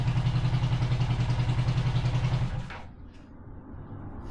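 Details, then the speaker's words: 500cc twin-cylinder buggy engine at idle with one cylinder dead: uneven, lumpy idle with a steady pulse about three to four per second, then it dies away; running on only one cylinder. "We are only running on one cylinder. Yeah. The whole time."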